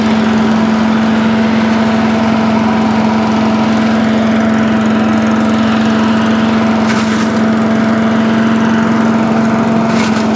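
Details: Allen chipper leaf shredder's small petrol engine, started stone cold on choke after carb cleaned twice: constant even hum with a few light clicks near the end; now starts and runs normally.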